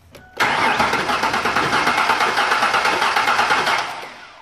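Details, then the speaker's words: Engine cranking with a spark plug removed for a compression check: the starter spins an even, quick three and a half beats a second with a hiss on each compression stroke, strong enough to blow a paper towel out of the plug hole; compression is good. "can see with proper compression I just blew it right out of the hole"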